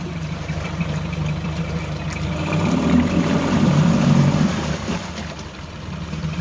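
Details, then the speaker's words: Outboard, still cold, shifted from reverse to neutral to forward: low, even drone that swells as the gear engages and pushes. Smooth running with no knocks, quieter than the 1983 Evinrude. Normal. "a l'air de pousser pas mal. Donc, beaucoup plus silencieux que la Evinrude."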